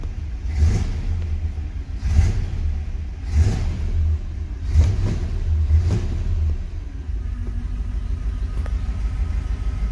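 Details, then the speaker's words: Classic car engine just after a cold start: deep uneven rumble with heavy surges roughly every second and a half, shaking; rough running, owner says it needs adjustment, cause not confirmed. "yeah it's shaking like a beach we gotta do some adjustment on that car"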